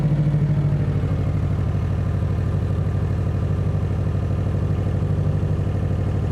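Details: Subaru WRX STI with header wrap and a new AEM fuel pump, idling after the first start following oil cooler hose replacement for a coolant leak and a coolant refill: steady, even throb with no misfire, ticking or rattle; healthy idle.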